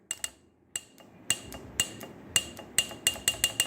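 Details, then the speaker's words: CompAir mobile compressor power unit: Murphy relay that bypasses to open the fuel solenoid, tested on direct battery power, clicks sharply about a dozen times in four seconds; relay works, so fault lies in its circuit. "and you can hear it clicking so something is wrong with this circuit we're going to go ahead pull the relay down see if we can open up and uh diagnose what's wrong with it"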